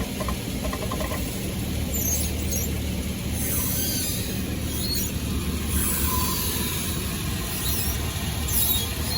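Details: Toyota 4Runner squeaking in reverse: rhythmic high chirping squeaks over low rumble as it creeps backward, from dry worn driveshaft U-joints, which were then replaced.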